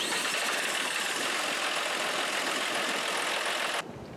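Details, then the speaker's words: 2012 John Deere 5075E tractor diesel after cleaning the plugged in-tank fuel filter sock and replacing the main fuel filter, which had caused surging, rough running and low power: steady, even idle, no surging, clean cutoff. "I think it's running great."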